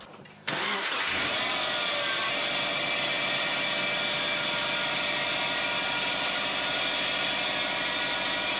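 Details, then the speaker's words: Subaru whose belt squeal rises with revs, is unchanged with steering or clutch, and quietens once warm: after starting, a loud, steady high squeal and chirp sits over the idle, most likely from the adjuster (idler) pulley. "Alright guys, pretty sure it is the adjuster pulley."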